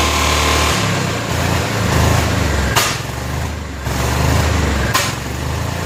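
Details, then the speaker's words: Barn-find 1988 Club Car golf cart, 8.5 hp Kawasaki single, freshly fueled: rattling fast idle with sharp pops on each pedal lift-off; pedal was killing the ignition, not a fuel fault, and the engine sounds good. "popping no idle circuit oh i was killing the ignition that's what i was doing gotcha wow that's cool engine sounds good"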